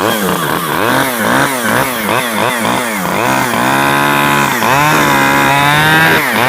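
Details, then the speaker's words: Stihl 011AV chainsaw surging, revs swinging about twice a second then hanging high. The carburetor allows little adjustment and the low screw is turned fully in; the owner suspects limiters, unconfirmed. "won't allow me very much adjustment at all you know and the the low was turned all the way in and if it was running with the low turned all the way in that tells you it's probably got limiters you know"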